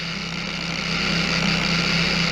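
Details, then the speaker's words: Bauer 56367 DA polisher (20 mm orbit) on minimum speed with stock backing plate: a steady low buzz around 190 Hz with a rough hiss. It shakes hard and worsens under pressure. "this is on minimum so there's there's one and it it shakes in your hand a lot a lot more you can hear it on the on the workspace here so you put you put any kind of pressure on it and the vibration gets even worse"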